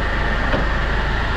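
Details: Hyundai Grand Starex diesel at idle, owner's noise complaint with timing chain suspected: a steady, high, gritty whine over the idle, like scraping or a bearing; a bearing grinding is suspected.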